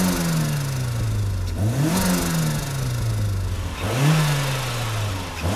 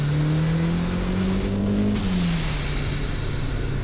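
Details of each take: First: Turbocharged Mazda Miata with its eBay HKS-knockoff blow-off valve disconnected: four quick free revs at low boost, each followed by a fluttering, chattering rush of compressor surge as the throttle snaps shut. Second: Budget turbo Mazda Miata with knock-off HKS blow-off valve, mic in engine bay, full-throttle pulls: engine note climbs hard with a thin rising turbo whistle at higher rpm and boost, then quick release on lift; healthy turbo and BOV.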